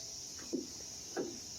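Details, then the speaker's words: 1991-1995 Acura Legend coupe door check after removal and greasing of pin, before trim panel refitted: two soft, muted clicks through detents with no sharp pop; door check now much quieter, working normally. "oh yeah much quieter you know I'll say once all our components are back in trim finals back on you're barely going to hear anything at all"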